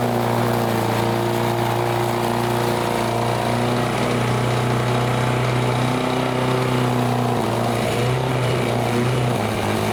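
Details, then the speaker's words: Vintage Lawn Boy Gold Series 4.5hp two-stroke curbside mower, repaired and repainted: a steady, even buzz at constant speed without misses or surging. It runs normally. "you know it's looking a lot better than it did for sure and also it's running pretty good"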